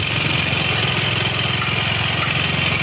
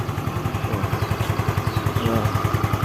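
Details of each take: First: Xeon automatic scooter idling with a harsh, fast clattery "kemlitik/kemlotok" tick over a thin rattly exhaust beat, still noisy with the CVT parts removed; piston slap from worn cylinder and scored piston. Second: Scooter (Xeon) after engine repair, previously running rough: idles smooth and clear like new, steady even low thumps around three a second with no knocking, normal idle.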